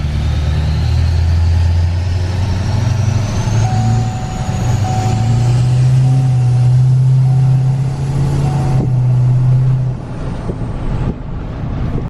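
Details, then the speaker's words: 2020 Duramax L5P diesel pulling smoothly with deep steady drone and light rising turbo whistle, still warming up; spooling far better after injectors, blamed for earlier lag, were dealt with; normal turbo spool. "i could just tell right away that this thing is spooling way better now it it's actually spooling it's crazy i can just get in and just tell that but it's definitely spooling better"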